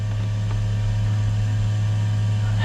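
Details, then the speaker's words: Waste tank power ventilation fan newly fitted to a 2015 Tab Max S trailer, switched on to pull toilet smoke down into the tank; steady even low hum, no rattle or wobble, more powerful than expected; normal vent fan running. "is way cool. That's a lot more powerful than I thought it was going to be."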